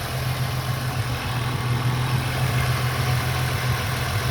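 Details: 2001 VU Holden Commodore Ecotec 3.8L V6, hot after swapping the 82°C thermostat back to a standard 90°C one for poor fuel economy, temperature gun reading 85–86 as expected: smooth, even low idle hum, no knocks or misses, a normal warm idle.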